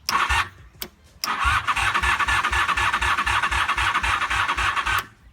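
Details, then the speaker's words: 1988 Honda Super Magna VF750, cranking after adding fresh gas: starter chugs at about four beats a second for a few seconds and never catches; the battery has run down, slowing the crank. "for some reason the battery died or almost died so let it charged up a little bit more again and then we'll see what happens"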